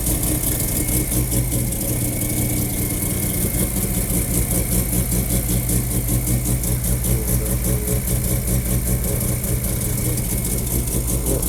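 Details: Mazda RX-7 FD rotary after replacing ignition wiring with new AEM IGN1A smart coils and harness, following electrical problems: fires right up into a steady, even idle, smooth low burble, no misses or knocks while warming up.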